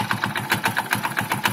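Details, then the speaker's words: Hero Splendor Plus BS6 motorcycle at idle: sharp, clattery tap on every firing pulse, about seven a second; abnormal noise seemingly from inside the engine, cause unknown. "अगर real life में इसे सुनो आप आप सुन रहे हो तो महसूस के लिए एक सिलेंडर कि वह नॉर्मल आवाज नहीं है कुछ डिफरेंट है जैसे कि इंजन के अंदर से कुछ अजीब सी आवाज आ रही है"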